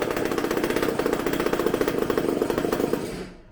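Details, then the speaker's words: Supercharged McCulloch two-stroke chainsaw engine on bench, tank fuel: rough uneven burbling that sags and fades out after about three seconds; running far too rich, burning black and sooty exhaust. "It was burning black, like really sooty. I'm like, why isn't it dying?"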